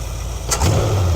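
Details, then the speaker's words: 1973 Ford Econoline E200 302 V8, carbureted, after a second carb clean cleared a clogged idle passage: smooth, steady idle near 800 rpm in park after a short blip, vacuum steady at 19 in, no shaking or misses. "So we are idling much smoother than we were."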